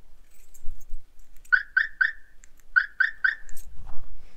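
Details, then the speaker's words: Aftermarket alarm siren on a 1986 Mustang GT (BBK headers, reportedly a B cam) sounding sharp high chirps in two quick sets of three, about four per second; old alarm system going off, owner plans to cut the siren out. "oh yes we got like a an alarm system so that gotta love those old alarm system sounds"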